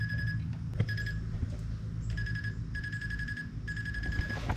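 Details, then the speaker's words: Maddog 150 GY6 scooter, newly fitted electric fuel pump with empty float bowl and fuel line: quick bursts of fast, even ticking over a quiet hum as the pump primes; working normally. "let's turn it on and see what happens that definitely seems to be working"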